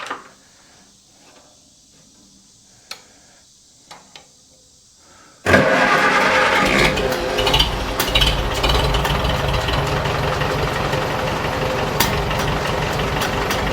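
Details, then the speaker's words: 1947 Farmall A tractor started cold; it normally sputters and dies once hot with an overheating ignition coil: quiet, then catches and settles into a steady even beat with no misses; normal running. "Yeah. The terrible thing is despite its problems, it it sounds beautiful. It runs great until the moment it doesn't."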